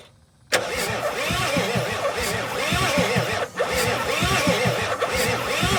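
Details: 1986 Ford F350 6.9 diesel from Texas being revived with a new fuel filter and injector lines cracked for bleeding: the starter churns the engine steadily at cranking speed, but it never catches; cranking no-start.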